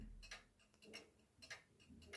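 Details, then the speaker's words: 1940s Manufrance box clock with Saint Etienne chimes, Girod movement and long pendulum: crisp ticks with small extra clicks that drift out of beat and back. Nearly half the escape wheel teeth are short or bent, and it needs a new escape wheel. "If you stand next to this clock and you closely listen to it ticking, you might notice that at some point it gets out of beat and then it comes back to normal. Nearly half of the escape wheel teeth are shorter or bent."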